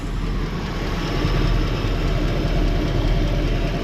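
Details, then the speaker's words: LT1 Caprice idling with the water pump removed, testing a cleaned original Optispark that had oil in it: a low, steady, even rumble with no misses or knocks; the owner suspects a slight noise is due to the missing water pump; normal idle. "That sounds pretty decent. I think that that's the water pump. I think that that's what's making noise a little bit."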